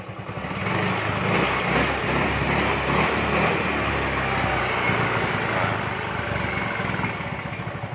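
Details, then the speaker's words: Yamaha Mio M3/Mio Z 125 single after new piston rings and valve-train ticking fix: steady, even putter with only exhaust note, no ticking from top end; idles clean and no smoke even when revved. "suara mesin adem langsam bagus"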